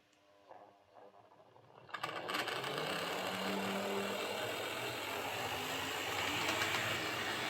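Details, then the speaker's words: Airfix Class 31 model loco on the layout, running in reverse after the worm gear adjustment for armature end float: steady motor and gear buzz with a fast, even rattle. Slightly noisier than forward but acceptable. "So yeah, it's a little bit noisier in reverse, but it's not too bad. I can live with it."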